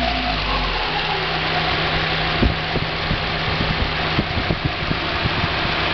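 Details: 1990 Mazda Miata at idle: irregular sharp knocks and rattles through the hum, separating from the hydraulic lash adjuster noise when accelerating/decelerating; persists on 93 octane, so owner doubts ping; owner wonders about rod knock or spun bearing, undetermined.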